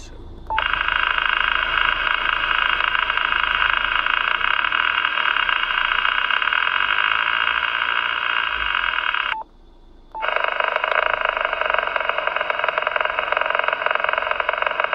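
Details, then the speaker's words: Yaesu FT-857D, a few months old, first time in a mobile install with ATAS-120A antenna: loud dense crackling hiss on all HF modes except FM, persists with antenna disconnected; owner suspects DC power issue to filter stages. "this is the first time I put it on the mobile and although it looks to be uh working fine um on FM any other mode has a big crackling"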